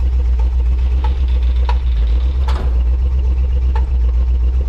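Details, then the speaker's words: 1967 Cadillac DeVille on a K10 chassis, rough V8 idle with irregular sharp pops a few times a second; owner suspects a stuck valve. "at least we know that it runs even though it kind of sounds like there might be a valve stuck with the popping noise it's making"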